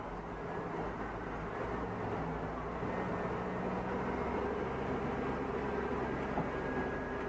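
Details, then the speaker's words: 2004 Chevy Tahoe with P0300 random misfire (stalling, stumbling at idle), brake torque test in drive after replacing spark plugs: steady even engine note under load, no dropped beats or misfire; codes cleared, O2 readings still off. "misfire. No misfires. Oh yeah. So it was those spark plugs. Something so simple, man."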